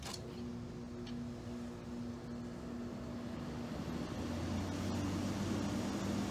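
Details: Late-1960s, possibly 1968, thin-line 7,500 BTU window air conditioner at startup: soft even fan hum, then a low compressor drone fades in; quiet, smooth, healthy.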